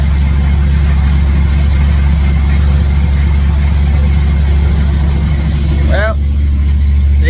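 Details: 1967 Chevy C10 truck V8 with ball-seat headers, started after exhaust-leak work and with all plug wires reinstalled: strong, even low burble with a steady beat and no ticking or puffing at the manifolds. Sounds like all eight firing, so a normal idle.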